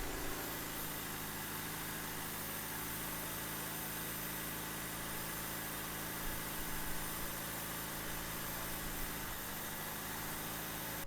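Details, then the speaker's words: 2000 Honda Civic hatchback (EK), 103,000 miles, fully warmed up after sitting five years: smooth, steady but noticeably fast idle with no hunting; stabilized once the radiator fan kicked on but still extremely high. Owner suspects a coolant-driven idle control valve. High idle. "now the idle is still extremely high but the fan kicked on and it stabilized"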